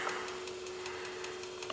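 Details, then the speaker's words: Magnum Energy 2000 W pure sine wave inverter on a battery bank with nothing connected yet: light, even ticking about five times a second over a faint steady hum while it searches for a load. Normal inverter search-mode clicking. "you can hear that little clicking noise that's inverter and the and the sine wave inverter doing its thing and it's searching and all that good stuff"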